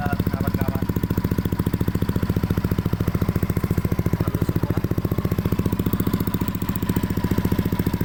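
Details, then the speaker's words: Used Yamaha Aerox scooter being checked before purchase, idle settling after a slightly high start-up: even, quick putting with no knocking or rattle; smooth engine, which suggests its oil changes were never overdue. "Karena motor ini belum pernah ketelatan oli, jadinya suara mesinnya halus."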